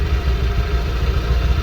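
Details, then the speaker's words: Honda Vario 125 LED scooter with a rough CVT noise, restarted after CVT disassembly, cleaning and greasing: low, even idle burble with no rattle or scraping from the belt drive; sounds different, smooth, normal idle. "beda nih suaranya. Kalau di rekaman biasanya suaranya nggak begitu kerasa ketika waktu pertama sama setelah pembongkaran."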